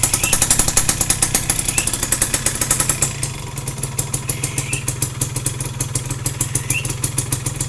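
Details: Yamaha F1ZR two-stroke idling after clutch-side work for a rough clutch noise, exhaust test: a quick, steady popping beat with no heavy rattle; normal idle.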